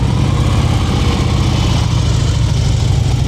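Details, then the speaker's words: Yamaha V-Star 950, first practice since coming out of storage two weeks ago, during slow-speed cone practice. The rider holds throttle preload at about 2000 rpm: even, deep engine drone with no hunting or misses. Instructor approves the steady rpm. "2,000. That's what I want. All right, head nice straight ahead."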